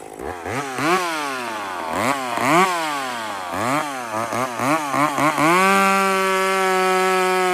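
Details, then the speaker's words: Chainsaw: several crisp throttle blips rise and fall cleanly, then a steady high note with no sag or burble; running smooth and well. "It's nice. It's smooth."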